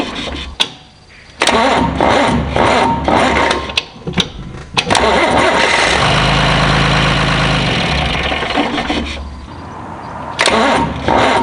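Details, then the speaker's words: John Deere 2955 diesel tractor on its old starter, before a gear-reduction starter is fitted: hydraulic leaks keep the pump stroked so it loads the engine, and the starter drags it over slowly in uneven bursts. "hear how it cranked right there it'll crank real real slow until i start turning the wheel back and forth which is a common farmer fix we'll say because everybody's figured out that when you move that wheel back and forth it bleeds off some of the pump pressure on these things"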